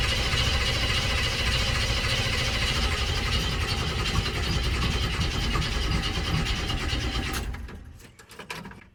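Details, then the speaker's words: 1965 El Camino sitting for years, first start attempt: steady starter churning for seven seconds with no firing, then stops; carb found bone dry, fuel starvation. "Before we did anything, we tried to see if it would start. But it didn't."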